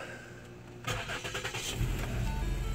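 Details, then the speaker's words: 2013 Lincoln MKS 3.7L after replacing the crankshaft position sensor: brief quiet, then a short crank catches into a steady, even idle with no misses or knocks. Clean, normal start after repair. "okay so we've got it um cranked up and running everything sounded good here"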